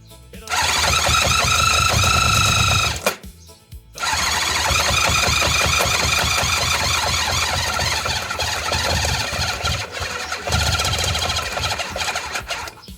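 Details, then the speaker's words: Honda CB750, 65,000 miles, left outside about a decade with a seized engine now turning by hand, fuel fed by syringe: fast, even cranking with a few ragged catches, tries to fire but stops; won't keep running. "Well, it was trying to fire then, but then it stopped."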